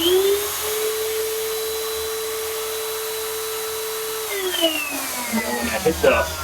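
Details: Hoover UH70935 upright vacuum after nozzle base assembly replacement: a steady, even motor whine holds level for about four seconds, then winds down smoothly; runs normally with no rubbing or belt slipping.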